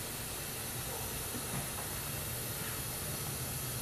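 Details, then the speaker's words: A turbo engine's intake is pressurized with a boost leak tester, engine not running. There is a steady loud hiss of air escaping past the injector seals, a boost leak. "you spray stuff down with the soapy water and like I suspected I've got an injector seal leak"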